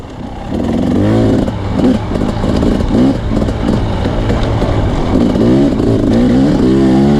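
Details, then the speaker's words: Dirt bike racing at Merritt: revs rise and fall unevenly under load with blubbery note instead of crisp crackle; running rough, owner suspects jetting. "It's noticeable on the bike too, but it was really noticeable when you watch the video. It just sounds like crap."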